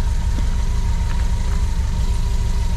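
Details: Renault 8 with swapped 1397cc C2J engine, points ignition, 8S carb, custom exhaust, timing still unset: low, steady, quiet idle with even beat, no knocks or rattles. Normal idle.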